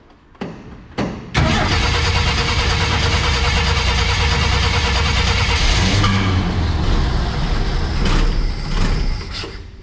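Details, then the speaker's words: 1965 Ford F100 six-cylinder first start in about a decade, coil hot-wired: two cranks, catches, runs evenly without knocks, ticks or leaks; carb not filling bowl, may need cleaning. "We might want to look at it to cleaning up that carb, but she runs pretty good. No strange noises, no knocks, no leaks."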